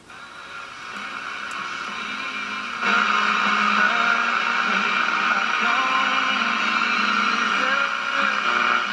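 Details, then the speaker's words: GE tube radio at about 97.6 V and 190 mA: faint station audio buried in hiss jumps louder when an extra AM antenna wire is added; the fault lies in the RF front end before the 12BE6 first stage. "and you can hear that is the problem with this radio it is almost a lack of antenna but it's in that front section"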